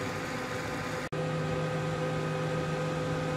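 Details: Gigabyte G1 R9 390 graphics card after fitting replacement 87mm ball-bearing fans: even, quiet whir with a soft steady hum and no ticking or rubbing; the fans are spinning smoothly and sound healthy.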